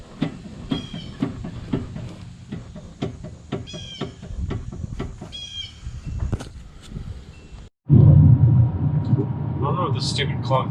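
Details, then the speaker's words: 2007 Mustang V6 track car driving over small bumps: irregular dull clunks, worst on the driver's side and none on the passenger side, as if a wheel were loose; owner is unsure of the cause before rear control arm, panhard bar and brake work. "it's like over every little bump you can hear it it almost feels like a wheel is loose or something is like something something sounds loose"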